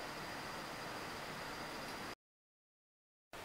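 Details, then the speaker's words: Old decommissioned desktop PC after power supply replaced with a quieter unit, booting: soft, steady fan hiss with a faint high tone, no rattle, grinding or roar; huge improvement over the earlier jet-engine noise; normal quiet running. "So far though, that's sounding like a huge improvement. It's not a jet engine anymore."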